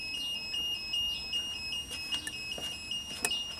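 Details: 1992 Genie boom lift, engine running with controls switched to platform mode, oil light on: thin high-pitched beeps about two and a half times a second; control-system warning beeper during wiring diagnosis, cause unknown.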